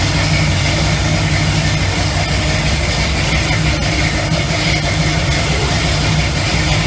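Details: Classic big V8 muscle car with 4.11 rear final drive and 65–70 psi oil pressure, idling lopey but steady; it pulls slightly heavier as powerful electric fans kick on and load the alternator. Normal, healthy idle under electrical load.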